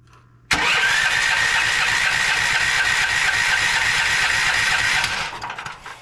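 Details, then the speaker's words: Westinghouse WGen9500 generator that wouldn't start, after carb cleaner sprayed into the intake: steady electric cranking about four seconds with no firing though fuel is present; no spark, traced to a carboned, fouled spark plug. "okay still nothing nothing there whatsoever I can smell the fuel now or smell the carb cleaner now so we know that we're getting fuel but it's still not firing"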